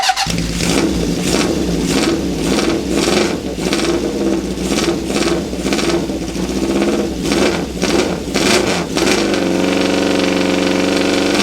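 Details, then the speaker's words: 1972 Honda CB750 K2 parts bike, 14,061 miles, straight pipes: crisp blips over an even four-cylinder beat, then smooth steady idle; motor tight, no piston slap or valve train noise, though owner notes it seems fuel-starved. "Motor sounds nice and tight. I don't hear any piston slap or any valve train noise. And nothing quite sounds like a CB750 with straight pipes on it, huh?"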